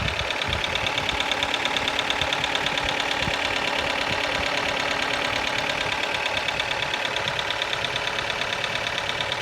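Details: Kia Ceed engine at idle: sharp, even clacking about three times a second, high-pitched and cyclic from the top of the engine; a valvetrain tick, cause unknown.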